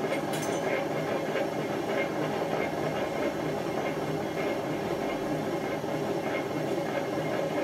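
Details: Hotpoint First Edition FEW12 washing machine, left outdoors for months: a loud rough train-like roar through the spin, with the drum running out of true and never reaching full speed, and the pump also audible. The drum bearings are badly worn.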